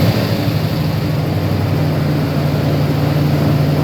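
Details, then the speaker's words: 2012 Dodge Ram V8, cold first start in a cold garage after new Diablo tune and motor work at 208,935 miles: deep, even idle rumble, no knocks, misses or shake; healthy engine. "Listen to that bad boy. No shake."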